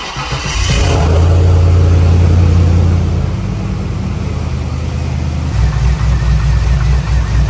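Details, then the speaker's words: Trans Am WS6 LS V8 with long tube headers, cold start after new valvetrain install: flares then settles to steady idle with header rasp, injector noise and slight piston slap fading as it warms; no valvetrain tick, earlier noise gone. "To me, it sounds like the normal long tube header noise and injectors and then just LS stuff. You hear a little bit of piston slap, but it's kind of going away now as the engine warms up."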